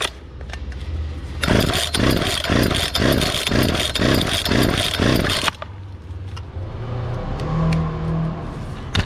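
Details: Free Poulan 2450 chainsaw, 2.3 cu in, 18" bar, restarted after parts were cleaned; the owner suspected an earlier noise came from the recoil or bearings. The small two-stroke fires with hard throttle blips, then settles to a light idle with no rattle. Normal running.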